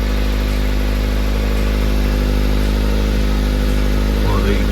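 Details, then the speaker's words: Old Honda Jazz after an emergency patch-plate weld over a rusty hole in the front exhaust section: steady, even idle with a deep low hum and no puffing or ticking; now sealed and quiet, with only a minor leak at the rear section. "rear section's got a little bit of the leak from it the same bit is only minor but this is certainly [Music] quiet like I say it's not pretty but it's sealed all the way around so that do me"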